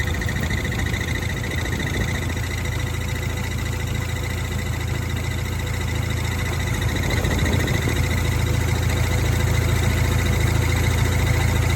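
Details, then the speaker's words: Dodge SRT4 idling: fast, steady light rattle at the clutch fork, similar to but different from throwout bearing noise. Failed aftermarket pivot ball changed the fork angle and broke the release bearing retainer, damaging the pivot mount. "there was also a kind of a rattle which is similar to a throughout bearing noise but just a little bit different"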